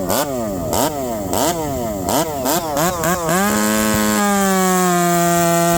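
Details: Ported Stihl MS460 chainsaw on one of two homemade exhaust pipes, revving: quick blips snapping up to high revs and dropping back, then a clean steady full-throttle scream; this pipe is snappier and revs up faster than the other. Normal revving.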